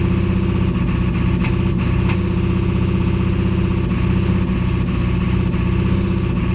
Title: P1748 e4od 7.3l misfire when code not present